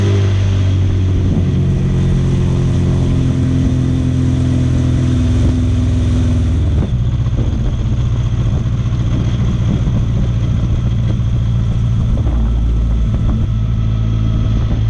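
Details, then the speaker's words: Goblin race car's replacement engine at full throttle, running naturally aspirated after turbo and supercharger failed: flat, steady, strained drone that never pulls higher; makes no power at all; engine found bad, new one to be built. "It's still not great, but I can stay wide open as long as I want. It just doesn't make any power at all."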